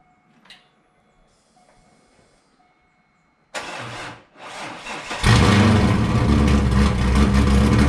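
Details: Wrecked C5 Corvette Z06 with decent-sized cam, tuned, no cats, right muffler cut off so louder; brief crank, clean catch, loud choppy cam lope about four pulses per second, no dash lights: healthy well-tuned start and idle.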